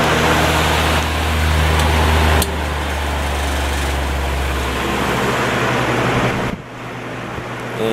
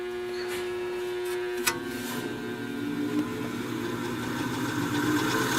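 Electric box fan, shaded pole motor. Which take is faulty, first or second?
second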